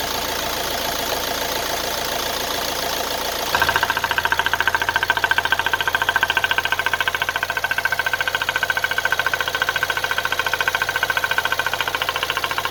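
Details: Nissan Qashqai 1.6 dCi diesel idling with a steady, hard knock about three to four per second over the engine clatter; owner suspects piston slap, and the engine burns oil. Cause not confirmed.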